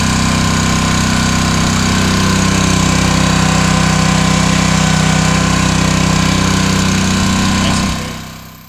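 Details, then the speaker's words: New Honda GX200 196cc engine on 27-ton log splitter, first run after install, choke then off, throttle mid: small single-cylinder runs steady and even, then dies away cleanly; healthy running. "Let's see if it starts. Oh, I love a Honda. Look at that. Yes. Yes. All right, choke off. Woo!"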